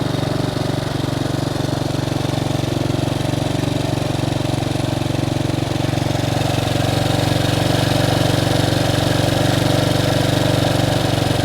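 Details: Bombardier Traxter 500 ATV single-cylinder, after a carburetor clean and rebuild, warmed up with choke fully in: even quick putter with no misses or hunting; runs as it should, idle possibly slightly high.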